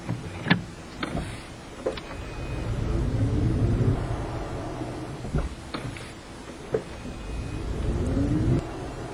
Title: prius clunk noise when accelerating